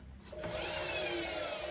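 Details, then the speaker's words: A Bosch WAE24164GB/30 Classic 6 1200 Express washer, about 2009–2010, with its drum spun by hand via the belt after reassembly; an even swishing rub with no clunking, grinding or scraping. No crumbs inside suggests the spider is fine, so drum rotation is normal. "just give it a spin over by the belt and see if we hear anything clunky sounds fine like that"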